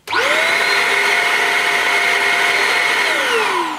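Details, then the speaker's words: Shark Rocket corded handheld vacuum, 80 W power nozzle, setting one for hard floors with brushes turning slower than expected: motor spins up to steady high whine, holds evenly, winds down cleanly; normal running, low brush speed. "that is very slow obviously you don't want the brushes rotating at a high speed because it can scatter the dirt on a hard floor but that's that's slower than I expected it to"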